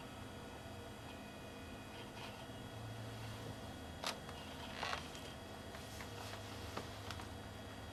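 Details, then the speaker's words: 1987 Kodak/Verbatim 6.6MB 5.25-inch floppy drive in a 386SX-25 PC; short buzzy ratchet of the head stepping at power-on over a quiet fan hum; normal head initialization, repeated at every power-on and disk eject. "on power up you'll notice a ratcheting sound which is the head on the kodak drive initializing and it does this every time the power is turned on and every time a disk is ejected"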